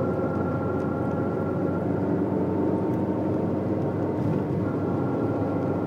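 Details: Saxo on the highway at a certain speed and throttle: a steady drone with a faint constant tone from the front, heard over road noise; it was solved by replacing the worn left drive shaft.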